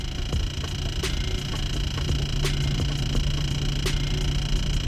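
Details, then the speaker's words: Hemi 300 car parked, fans off: sharp clicks roughly every 1.4 seconds with fainter ticks between, intermittent, started today after opening doors; seems to come from the speaker though music plays fine; blend door actuator ticking. "i have no clue what that is all it all that it did all that i did to start it was put the car in park it almost sounds like it's coming from the speaker but i can play music and everything just fine"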